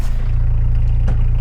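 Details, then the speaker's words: Peugeot 306 with 2.1 XUD11BTE 12v turbo diesel, 11mm hybrid pump, GTB2056VLK turbo, FMIC, 2.5-inch exhaust with back box only, bonnet open: steady fast even diesel chug, no misses or knocks; healthy idle. "I don't know how well you can hear that, but she's running sweet."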